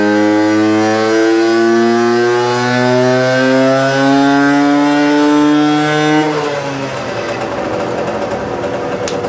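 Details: Herkules Prior K50 moped, 50S two-stroke engine, 5-speed, original displacement, 17 carburettor, resonance (tuning) exhaust, tuned from 4.5 to 7.6 PS; clean crisp wail climbing under full load without misfire, then easing off; normal full-throttle run.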